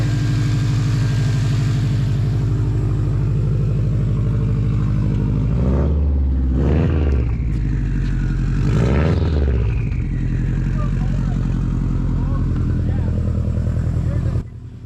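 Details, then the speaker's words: 2006 Subaru WRX, 92,000 miles, just started after battery terminal and plug work: deep flat-four burble with two quick throttle blips falling back cleanly to even idle; running normally. "All right. Hell yeah. She still runs."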